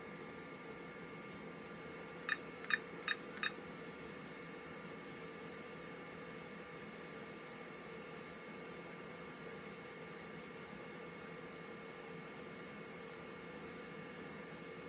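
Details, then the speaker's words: Vtech VT9117 cordless phone with a rebuilt replacement battery (80-5074 pack, custom connector), on a line that is not true phone service. Faint line tone, four quick keypad beeps, then a low steady tone; it dials out and rings normally. "it's ringing. Okay, so I don't know if you can hear that, but it did dial out, and it is not true phone service, so you're limited on what we can do here."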